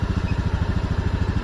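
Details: Honda Scoopy FI 110 scooter after ECU reset, idling about 1500–1600 rpm with fuel trim near −3 to −5: steady, even low putter with regular firing pulses, no misses or knocks; normal idle.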